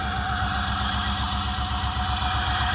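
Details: Chevrolet Suburban with no compression on cylinder 4 (plug oil-fouled), started after a Seafoam soak with the mass air flow sensor disconnected: steady idle with a lumpy, repeating low beat, running rough with a little smoke; dead cylinder.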